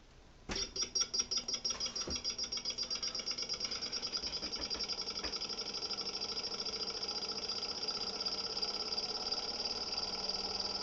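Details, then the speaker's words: Experimental 3-phase pulse motor with 9 bifilar coils on Bedini SSG monopole circuits, only the green phase running, after silicone was added to stop a click: fast, even pulsing speeds into a steady high whir with no stray click, a clean run. "We'll listen for the click and see if we took care of that problem. Hopefully it's not clicking. So it seems the silicone worked inside there."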